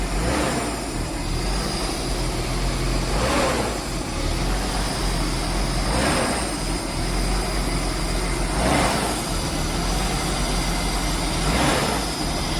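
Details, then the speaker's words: Nissan R33 Skyline GTST RB25DET after rebuild and fuel pump swap: lumpy idle with a whooshing surge about every three seconds, black smoke; blow-off valve spring not strong enough, valve opening at idle. "at idle the blowoff valve is just in there opening so that tells me that that's not strong enough"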